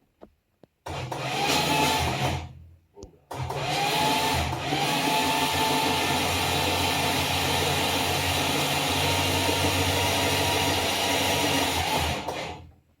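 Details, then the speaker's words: Slant Six Mopar engine with break-in oil and preliminary valve lash set, cranked without starting to check oil pressure; harsh, steady whirring crank with high gear whine, sounding like a typical Mopar starter; normal starter cranking. "I remember Chrysler sounding really... Sounds exactly like a Mopar starter to me."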